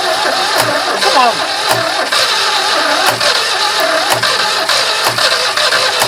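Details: Barn-find 2CV flat-twin three-wheeler stored 25 years, last attempt using battery and starting spray: catches and keeps running with light uneven beat, sharp ticks about once a second. Engine running after start.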